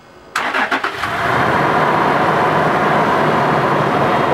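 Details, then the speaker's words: Toyota 4Runner V6 started after an engine oil change, oil topped to the full mark: short crank catches quickly, settling into a smooth even idle without rattles or misfires; engine sounds healthy. "put the oil cap and then start the engine start the engine my hands are so dirty let's hear that v6 engine"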